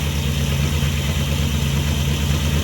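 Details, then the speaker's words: Petrol engine idling with RPM raised during a vacuum test, running rough: uneven, stumbling misfire; vacuum only 16 inches instead of 18–20 and drops to 0 on snap throttle. "But I am not happy with that vacuum, okay? That should be at 18 inches. You can hear the misfire."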